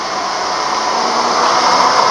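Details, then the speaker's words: 2003 Mercedes C240: from start-up the radiator cooling fan runs flat out, a loud steady turbine-like roar with no change in speed. Suspected bad ECM (check the mass airflow sensor first); fan stuck on high speed. "the fan the cooling fan just kicks on into high mode and almost sounds just like a turbine engine it's very loud"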